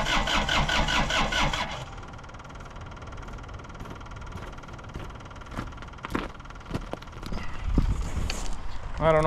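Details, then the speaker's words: Suzuki Samurai with an Isuzu diesel, first start after sitting. The lift pump runs and there is possibly air in the lines. A couple of seconds of rhythmic starter churning with no catch, then it stops. Cranks but won't light off yet. "so I think we're going to spend a couple minutes and just crank this thing over and see if we can get it to light off at all"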